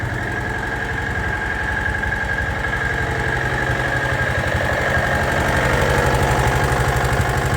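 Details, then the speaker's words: John Deere AMT 622 small engine idling before adding Lucas additive: sharp regular tapping about four times a second over the exhaust; loud engine knock, owner suspects rod knock but is unsure. "noisy almost sounds like a rod knocking don't really know"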